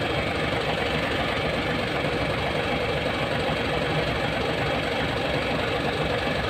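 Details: Hino 700 with E13C diesel, low power and hard starting: heavy idle with an uneven beat, roughly eighty pulses a minute stumbling irregularly, rough idle from malfunctioning injector #5.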